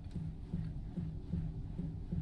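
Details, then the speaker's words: 2019 Hyundai Sonata G2.0 steering, after MDPS replacement: dull regular low ticks, two or three a second, as wheel turns, from dashboard floor area; earlier grease and steering column replacement for noise. "으 처음에는 그냥 틱 책 소리 만나던 이게"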